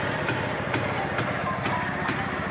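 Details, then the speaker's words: Yezdi Deluxe vintage two-stroke motorcycle (CL2/D250-type engine) at idle; exhaust, point setting, carburetor tuning and timing are fine, with no piston ring slap. Sharp metallic tick about twice a second reveals failed crankshaft main bearings. "But the problem is you can hear the crank noise. That means the main bearing, that is the crankshaft bearings, has been gone."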